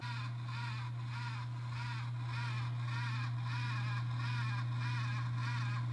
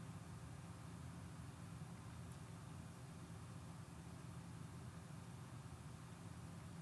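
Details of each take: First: AMD X570 motherboard chipset fan: rough scraping grind pulsing about four times a second over steady low hum; worn fan bearing, fixed by replacing the chipset fan. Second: X570 motherboard after the failed chipset fan was replaced, lav mic beside the PC window: only a soft, steady low hum of fans ramping slightly under load, with no grinding or rattle, so the chipset fan runs quietly and normally.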